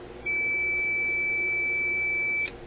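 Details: Electrohome AM clock radio tuning capacitor tested with power off and the meter in tone mode. One unbroken high tone across the plates for about two seconds shows a dead short between them.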